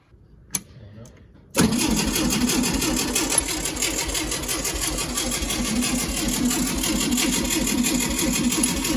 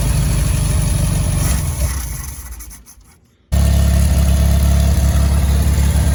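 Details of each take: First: 1965 VW Beetle, garage-stored for a long time, first start attempt after adding fuel: steady starter cranking at about four beats a second that never fires; fuel pump not yet pumping gas. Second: 1965 VW Beetle that sat in a garage for years, after tapping the carburetor for a suspected stuck float: engine fades and cuts out, then catches and settles into a steady, even low idle.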